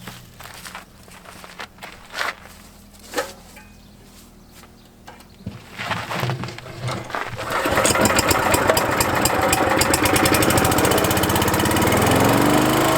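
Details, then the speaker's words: Trac Vac leaf vacuum blower unit after repair, front guard and hose refitted: some knocking and pulls, then the small engine catches into a steady even drone with rushing fan; normal running. "So I'll start it up for Mark, and then Mark's going to demonstrate how wonderful this thing works."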